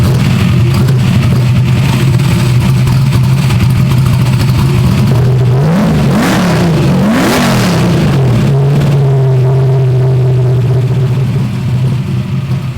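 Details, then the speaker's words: Big Ford small-block with huge turbo, valves just adjusted: steady lumpy idle, then a couple of quick clean blips that settle back; engine sounds healthy. "i have no idea it was like straight to the chest it sounds healthy"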